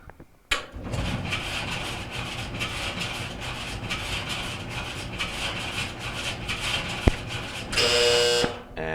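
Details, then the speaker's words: Maytag LDE4914ACL dryer starting up: harsh steady scraping grind pulsing as the drum turns, drum rubbing likely on the front housing; repaired at the support wheel. "what it sounds like is as that drum's coming around it's rubbing probably on the front housing or something"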